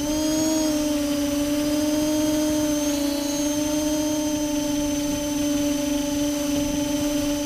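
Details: Multirotor with camera tilted 15° down causing bad vibrations: steady whine with pitch wavering slightly around three seconds; owner suspects ESC or motor bearings, unconfirmed.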